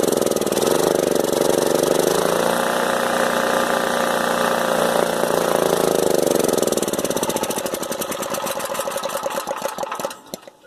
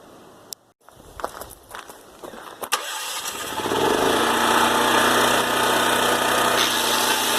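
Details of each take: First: Older Honda EM3500SX electric-start generator, stopped running after water-contaminated gas; fuel poured into carburetor, engine fires and revs several seconds then slows and sputters out as it runs dry; runs only on primed fuel, fuel delivery suspected. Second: Older Honda EM3500SX generator after carburetor cleaning for water-contaminated fuel: a couple of pulls, then it catches and settles into a steady, even drone with no misses or hunting; running healthy.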